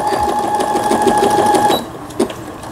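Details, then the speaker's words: Brother Innovis 10 sewing machine after needle bar repair, leaf pattern stitching: even fast whir, steady motor tone, regular needle ticks, stops cleanly; all functions stitching normally. "나뭇잎 바느질 역시 잘 되고 있고, 조금 더 받아봐야 되겠어요. 각종 기능들 정성적으로 박음질돼서 내일 발송되어지는 브라더 미싱의 이노비스 10이라는 기계, 전체적으로 여기 보여드릴게요."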